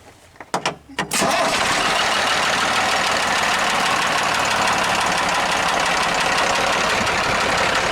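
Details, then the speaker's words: International truck diesel at first start after the fuel shut-off linkage was fixed: cranks, catches and idles evenly with a light, fast tap; suspected lifter needing adjustment, not the bottom end. "so I'm going to start it up and you'll hear the the tapping but like I said I think it's a lifter it's tapping but I think it just needs adjust it"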